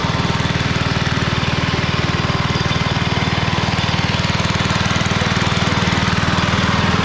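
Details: 1991 MTD 12/38 riding mower after a rattle-can restoration, basically finished: it starts, moves and mows. Steady, even single-cylinder putter with a firm regular beat and no misses or knocks. Normal running.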